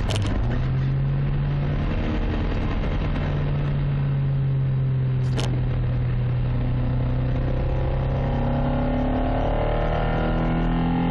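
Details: Toyota Carina 1.6 16V with one bad injector, believed caused by running bad fuel; low engine drone with uneven, stumbling beat and no steady rhythm, one cylinder misfiring; misfire from faulty injector.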